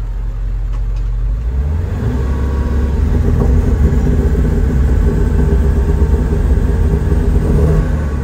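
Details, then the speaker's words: Ford E-350 4x4 van with the 7.3 diesel, severe lack of power with visible smoke. A deep, dull rumble swells with throttle but stays muffled and flat. Exhaust back pressure (EBP) problem suspected. "Oh, right now it feels like it has no power. Hear how muffled it is? Smoke."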